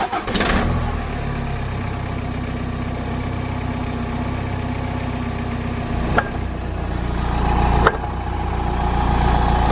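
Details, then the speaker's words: BMW E60 5 Series, clunk on accelerating or quick clutch release; engine starts and revs with two sharp single clunks as load comes on; source not found, whole subframe moves, lower trailing arm bushes to be replaced. "I can hear it every single time that I step on the accelerator or just lift up the clutch quick so I'm hoping that we can try and emulate that sound now"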